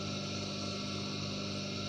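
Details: Water pump motor removed from pump, previously not starting, now wired on bench drawing about 0.6 A: smooth even electric hum with steady low tone, no rubbing, knocking or surging; motor runs cleanly.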